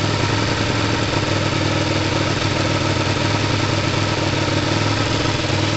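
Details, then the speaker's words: Kawasaki ER5 twin idling with an occasional big, weird stall-like speed drop on the right cylinder; misfire suspected, possibly air-fuel screw adjustment; cause not yet clear. "um look at that it's like a real big a real weird stall in the engine"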